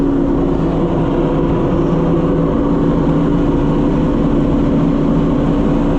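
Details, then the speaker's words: Oliver 525 combine, just after the separator belt failed: loud, steady idle drone with constant pitch, no skips, knocks or speed swings. Normal idle. "Let's see what we got. Oh, it idles really nice."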